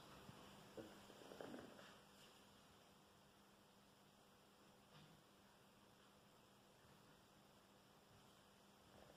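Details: Newly built JTM45 clone tube guitar amp with no cable attached: faint hum, then a loud harsh buzz snaps on for about four seconds and cuts off; cause unknown.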